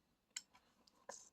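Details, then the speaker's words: Deep fryer thermostat knob turned fully right under test: near silence broken by three sharp, crisp clicks; continuity then beeps on output, thermostat switch working normally. "so if I turn it all the way to the right okay clicks"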